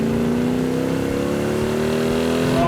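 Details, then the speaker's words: Freshly restored 1967 Plymouth GTX convertible, Hemi with dual quads, on a road test pulling hard: deep, throaty snarl climbing steadily in pitch, even and clean with no misses; healthy exhaust note. "that is one snarler of an engine i see why they like the exhaust that does sound really good"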